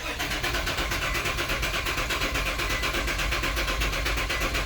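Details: 2004 Nissan Pathfinder after successful key programming, cranked with gas given: a quick, uneven chug for several seconds that never fires; crank no start. Too much fuel smell follows, and the owner suspects a fuel problem unrelated to the immobilizer. Cause not confirmed.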